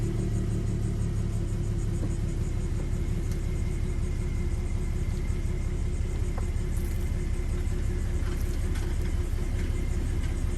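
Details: 2015 Mustang V6 on its first start after a BBK headers install, with stock cats, pipes and mufflers; smooth, even idle with a deep steady rumble and no ticks or misses; the engine is running healthy.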